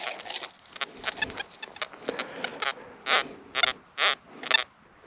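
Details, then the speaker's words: XP Deus metal detector on damp, high-water-table slope of a Roman site, audio response raised to 5: irregular high chirps and short squeals with no pattern; false signals from ground, not iron. "Now I wouldn't say there's a great deal of iron in this field, it's more a ground problem."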